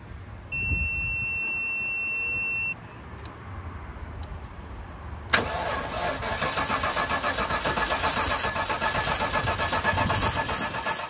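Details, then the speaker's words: 1999 Land Rover Discovery II bought as a no-start, cranked with starting fluid after a battery fuse was pulled. A chime, then the starter turns slowly and unevenly at about four beats a second and never catches. Weak crank, no start. "it's pretty weak crank all right ready go oh nothing"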